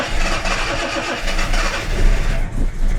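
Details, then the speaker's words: Jaguar XJC XJ6 with Stromberg 175 carburettors and water chokes, cold start in cool weather: engine coughs and surges, only catching when the throttle is gently pumped, barely holding idle; insufficient choke, before choke adjustment. "I can yeah I can just get it going do that a couple times and it will get going so not as it should be"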